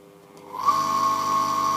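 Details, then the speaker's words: Submersible dirty-water drain pump ZCPW400 with faulty start capacitor: low stalled hum without turning, then a steady high whine once the impeller is nudged by finger; fixed by replacing the capacitor. "Пока ничего не происходит приподнимаем лягушку от этого ключа вертикально и сейчас он забудет остановился загудел и смотрите что Толкай толкаем пальцем и все заработало отключаем мы поднимаем загудел и не вращается опять пальцем толкаем"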